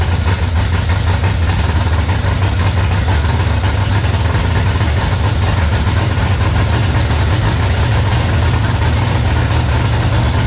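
Loud, steady low rumble holding an even beat for ten seconds with no stumbling; the small-block is idling cleanly on its own.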